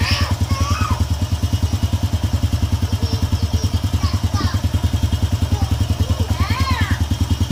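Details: Honda EX5 Dream motorcycle idling evenly at about three beats a second with no knock or rattle, after reassembly and fresh engine oil; the loud rough noise from a loose screw is fixed.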